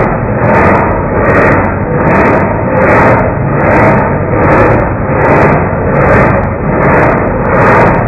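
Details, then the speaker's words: 1989 Marmon heavy diesel truck, slow cranking: starter drags at about 77 even pulses a minute with matching loudness swells, so compression sounds even by ear (no gauge); cause of the slow crank not found. "i don't see any reason why this cranks over slow um it's making compression it sounds like"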